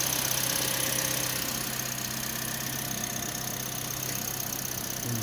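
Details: Toyota Vios that sat unused for 3 months and had lost compression, started after oil was added through the spark plug holes: steady, even idle with a light quick tick, no stumbling or misfire; exhaust smoke expected to clear once warm.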